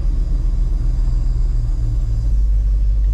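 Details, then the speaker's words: Dump truck idling after replacing the air brake valve (part 800617) and airing up: only a deep, steady rumble with no hiss; no air leaks. "don't hear any air leaks"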